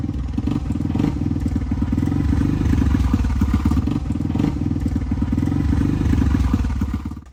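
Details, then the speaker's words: 1985 Honda XR350R single-cylinder four-stroke, revived after sitting outside 6–7 years, first ride after carb overflow leak fixed: pulls through a short ride with slightly uneven, lumpy firing; carburetor still needs adjustment. "The carburetor still needs some adjustments, but for now, I think we'll leave it the way it is until we can dig back into it a little bit in the future."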